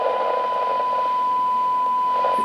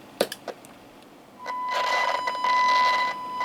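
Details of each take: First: Alinco DR-570 radio with dead VHF receiver, signal generator injected at C16 at -70 dBm: clean, steady test tone over faint hiss; stage after Q1 works, fault lies around Q1. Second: Alinco DR-570 radio after replacing the FET in the dead VHF receiver, generator on 145.525 MHz: after a few clicks, a clean steady test tone comes through clearly; receiver working again.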